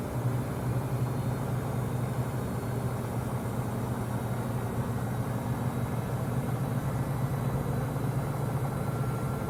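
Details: Samsung 2023 front-load washer WW25B6900AW/A2, 5 months old, steady loud low buzz (about 70 dB) while draining, louder when no water left to drain; buzzing since first month.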